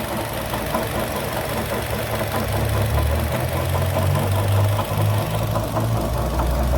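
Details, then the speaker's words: 2012 Chevrolet Sonic petrol engine idling and revving with a loose, irregular knock, two to three a second, traced by stethoscope and belt removal apparently to the water pump bearing, which needs replacing. "Bueno ahí como se ve parece Aparentemente la bomba de agua ahí es el golpeteo que se escucha bueno se va a tener que reemplazar la bomba"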